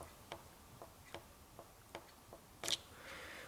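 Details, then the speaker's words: Car key fob with a new battery that still won't work: the small inner button switch pressed repeatedly gives seven crisp, light clicks about half a second apart in a quiet room, a working switch, unlike the broken one. "There is the small this button what we press in this way, and then this key works."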